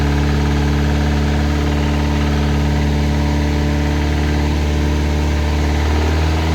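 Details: Classic Mini turbo at first start-up, smooth idle with faint light knock; heard and felt at the rocker cover, likened to a big-end sound but seemingly top-end; cause unconfirmed.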